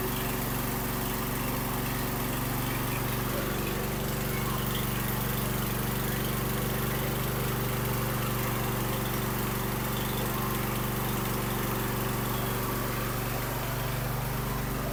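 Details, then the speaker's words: Husqvarna YTH2454 with a 24 hp Briggs & Stratton 44 cu in twin, previously running on one cylinder because the valve guides slid out: after the repair and a new pre-filter, a steady, even drone on both cylinders with no misses. "well there you go it runs like new again so I hope you enjoyed the video appreciate you watching"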